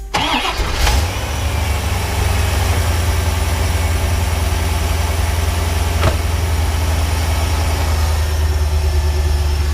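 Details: 1991 C4 Corvette V8 right after replacing the throttle position sensor and idle control valve: cranks, catches quickly and settles into a smooth, deep, steady idle with no hunting, sounding the same as before; healthy.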